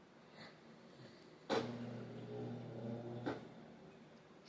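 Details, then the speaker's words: Whirlpool top-load washer in diagnostic mode, not spinning: motor hums under two seconds then cuts out, drum never winds up, lid lock light blinking; bad lid lock blocking spin. "trying to spin. Lad lock is blinking. Lid lock is blinking. Usually what that indicates when the lid lock is blinking that the lid lock is bad."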